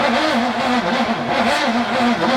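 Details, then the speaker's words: VK Commodore, first start attempt in about 10 years after a new fuel tank and fuel lines, choke on manually because the automatic choke doesn't work. Steady, laboured slow cranking that never catches: the battery lacks charge. "not enough power battery was"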